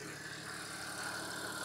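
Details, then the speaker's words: Vehicle with a bad crankcase ventilation (PCV) valve, idling about 30 seconds: a loud, steady, high whistle held at one pitch over a smooth idle, from the failed valve leaking vacuum. "so this one has a bad crank case uh ventilation valve in it so we gave this about 30 seconds and you can hear incredibly loud whistle right"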